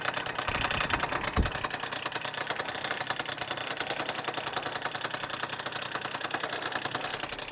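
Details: Freshly rebuilt Suzuki Address 110 scooter (Japanese parts), being run in, developed a rattle on a hot-day ride; it starts first pull, smokes from generous oil, and idles with a fast, uneven metallic knock of about three a second from the magneto side: a loose flywheel rotor.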